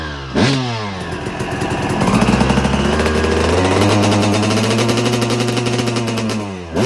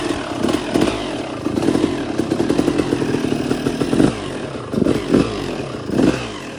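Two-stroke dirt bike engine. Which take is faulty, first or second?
second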